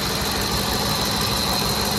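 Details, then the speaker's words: 2010 Ford F-150 SuperCrew 5.4L Triton 3-valve V8 after replacing VCT solenoids: started on choke, ran high RPM, leveled down to idle; even steady hum, no knocks, misfires or vibrations; normal healthy idle. "Started on choke, ran high RPMs, leveled down to idle. Smooth. No vibrations."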